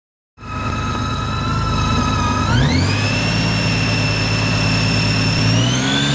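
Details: 2008 Honda Gold Wing GL1800 running: steady high whine over the engine that climbs in pitch with revs. Owner suspects the alternator; cause not confirmed.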